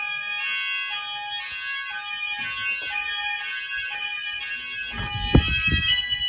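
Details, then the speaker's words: Apollo XP95/Discovery house fire alarm Symphony sounder triggered by an optical smoke detector test in a rear bedroom. Repeating alarm tone with slight rough crackle, then handling bangs; the sounder has bad solder connections. "um okay so the symphony did crackle a bit this symphony does have a bit of issues where the soldier connections are bad so yeah it did crackle just a bit"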